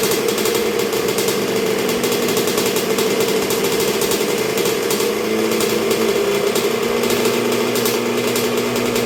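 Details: 1986 Honda CR125R two-stroke, new .060-over Wiseco top end, break-in heat cycle while setting idle with the idle knob, getting pretty warm: steady, fast ring-ding idle, even beat, no misses or knock; healthy.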